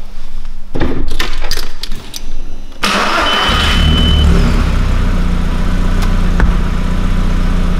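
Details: Audi restart after the fuel pump was repositioned: short cranking, then the engine catches promptly and settles into a smooth, even idle. Starts normally.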